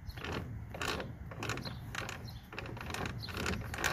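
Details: Toro Super Recycler GTS 6.0 self-propelled mower after gear drive rebuild, torqued to 32: light ratcheting clicks in quick bursts as the wheel is turned by hand; normal pawl clicking.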